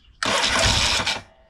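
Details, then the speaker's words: Yamaha XS650 with a newly rebuilt head, restart attempt without choke: about a second of harsh cranking that stops without the engine catching; cold engine fails to start, owner suspects it needs choke or some adjustment. "maybe we need a little bit of Choke here let's see right here choke I think I know what's going on here"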